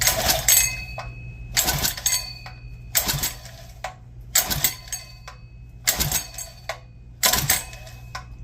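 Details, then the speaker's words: Clone GX200 196cc engine, 68mm block, on a mini bike, first pulls after rebuild: repeated pull-cord spins about every 1.5 seconds, each with a sharp clatter, never catching; owner suspects a valve adjusted too tight. "that sounds like the valve is too tight let's give it one more yeah I think the valve is too tight"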